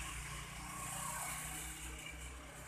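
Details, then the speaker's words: Daihatsu Gran Max engine with check engine light on, scanner flagging CMP sensor: coarse, uneven running with a ragged low rumble and no clean rhythm; very rough, mechanically worn, camshaft believed worn beyond repair. "Hai mesin ini Hai Suaranya sangat kasar sekali ya Hai kerusakan mekanis berarti pada noken as merasa sudah aus semua dan sudah tidak bisa diperbaiki"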